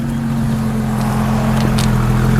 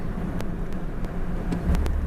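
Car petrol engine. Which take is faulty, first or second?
second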